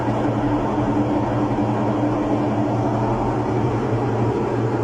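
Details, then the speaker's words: Washing machine during spin, loud steady low roar and droning hum, "like it's about to take off"; also pauses and doesn't wash. Diagnosis: worn drum bearings, seal/retainer; rusted parts show water leaking through, wetting the sensor board. "problema de esta lavadora son los valeros, sello, tina o retén. Hay que cambiarlo, hay que reparar esa transmisión."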